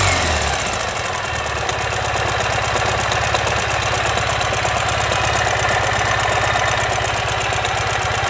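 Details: 2015 Ural Ranger at idle: a heavy, uneven, low knocking at about three per second through the idle, caused by a collapsed front crankshaft main bearing.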